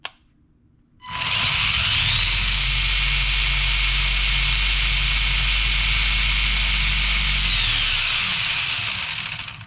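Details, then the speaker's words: Tamiya Fire Dragon buggy with Kyosho 14-turn 550 motor and new Radiolink CL9030 90A ESC, wheel-speed test on the bench: high motor whine climbs quickly to a steady full-speed pitch, wheels at about 2,819 rpm, then winds down smoothly; no grinding or stutter. "2,819 RPM so that's how fast it is with that motor and with the new ESC"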